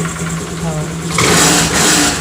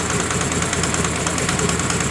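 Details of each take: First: Honda Grazia BS4 scooter after the spark plug was tightened: the engine blips up cleanly from a steady idle with no rattle or knock. Normal, smooth rev. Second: Honda Grazia BS4 scooter idling with its covers off: quick, even ticking knock over the engine note, steady with speed; owner ruled out the timing chain. Loose spark plug leaking compression.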